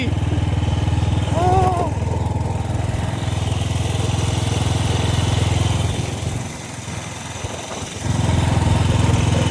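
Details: 1955 Velocette single, revived after sitting over 20 years, ridden with an open air box: steady thump about three and a half beats a second, easing briefly then picking back up; runs evenly and healthily.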